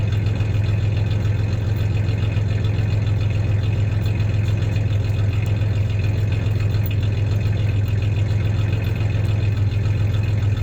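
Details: 1993 Ford Ranger 3.0 V6 idling then a little rev; steady low idle with slightly uneven loping pulse and occasional stumble, light misfire; any clanking is loose tie-downs in the bed, not the misfire.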